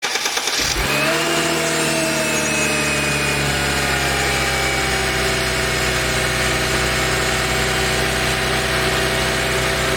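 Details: Mercedes SLK 32 AMG engine starting and settling to idle with an even rattling beat underneath. This is the rhythmic "dadum dadum" rattle, distinct from the quick ticking. It is clearly audible from 40°C, quickens with rpm and vanishes above a certain rpm. Source unknown.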